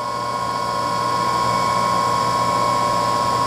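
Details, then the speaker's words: Two-horsepower three-phase motor running unloaded on a homemade rotary phase converter for a voltage balance test: smooth even hum at steady pitch, no grinding or rumble; bearings sound good. "that motor seems to have pretty good bearings that is a two-horse motor hooked up"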